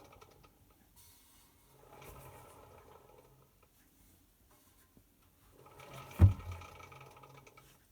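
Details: Hotpoint BHWMD732 washing machine under 12 months old: quiet drum turning in short bursts with a sharp single click partway through a turn, mainly when spun anti-clockwise; nothing found stuck in the drum.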